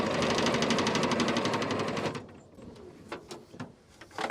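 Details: Military deuce-and-a-half truck: even rapid cranking chug, about four beats a second, for two seconds with no firing; no fuel reaching injectors, owners unsure whether the in-tank pickup or pump needs its seal.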